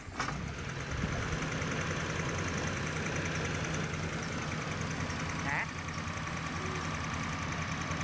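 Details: Old carbureted Toyota Corona, first diagnosed as running rough, after setting the points slightly wide because the distributor shaft is worn: a steady, even idle hum with no misses or shaking, ticking over smoothly.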